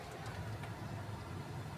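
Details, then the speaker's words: City car with aftermarket audio system after fixing engine noise in speakers (new wiring, high-input box added): low steady idle with revving, no whine, buzz or hiss through speakers; normal car audio at idle after repair. "जी हमने गाड़ी start कर ली है इसकी और अगर हम इसकी noise check करें तो वाह नोन वाइज इतनी ज्यादा आरपीएम की रेस भी देने के बाद नो न कोई कुछ नहीं है आप सुन सकते हैं"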